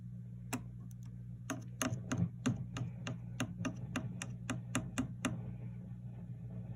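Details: Fender '67 Bandmaster amp tapped on the chassis with a chopstick, both channel volumes off, vibrato switch disconnected: each tap sets off a dull low rumble under a steady hum, something loose or microphonic, cause unknown.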